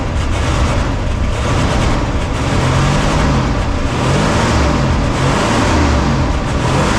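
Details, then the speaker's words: 1977 Ford LTD station wagon V8 with fuel poured into the carburetor bowl: catches and runs rough, surging and sagging as if fuel-starved. Owner suspects a bad fuel tank, since the fuel gauge reads nothing. "I'm going to see if I have any fuel or something I could put in the uh car bowl and see if this thing will run for more than a few seconds"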